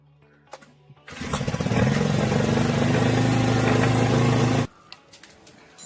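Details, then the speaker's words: Honda GX35 brush cutter revving up and holding with a light, fast metallic ticking about four per second, like a sewing machine; tappet (valve) clearance most likely out of spec, suspected, before adjustment and clutch replacement. "If your brush cutter sounds like a seing machine and has this similar metallic ticking noise, most likely the bad tapet clearance [music] is out of spec."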